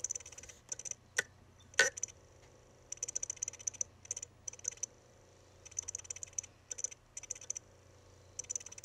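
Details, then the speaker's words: Crashed Mac mini hard drive: irregular clusters of sharp ticking from the read head seeking, two louder thumps believed to be the head slamming the park-position stop, and faint chirps possibly from the platter or head. "one of them is kind of like a thumping sound and that sound i'm pretty sure is the sound of the read head being forcibly slammed against the park position stop"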